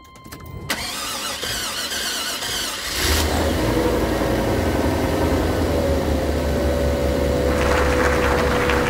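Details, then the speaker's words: V8 first start after head gasket replacement, cold: starter whirs briefly, fires immediately, smooth steady idle with even low rumble, quieter than before, no knocking; owner suspects an exhaust leak on one side; normal start. "so far it sounds quieter and i don't hear any knocking sounds like i got a leak on the exhaust on this side"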